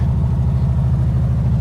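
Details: Freshly rebuilt Porsche 964 3.6L air-cooled flat-six in RWB 911 Targa (replacing 3.0 SC; lightened flywheel, ITBs), first drive after first tune, bedding rings: deep even burble at steady raised idle, no knocks; crew suspects an exhaust leak.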